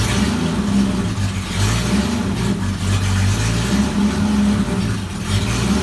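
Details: Jeep XJ engine after a new pulley and belt were fitted: idles and revs up and down smoothly with no squeal or chirp; the earlier squeak is gone; normal belt drive, no squeal.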